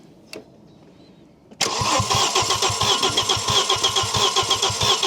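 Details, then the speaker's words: Audi RS2 barn find, 315bhp 5-cylinder, abandoned in an orchard for years: starter cranks steadily at about four compressions a second for several seconds but the engine never fires; crank, no start, no ignition firing, not the immobilizer. "No, cuz our immobilizer so far today has stopped just cranking it, hasn't it? So, it it's it doesn't just it doesn't firing any ignition, right?"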